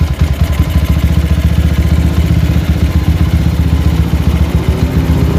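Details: Warm GL single-cylinder motorcycle with open brong exhaust, carburettor not yet tuned: idle pulses unevenly, revs drifting up and down instead of settling; hunting idle, with knocking when hot, cause not yet determined.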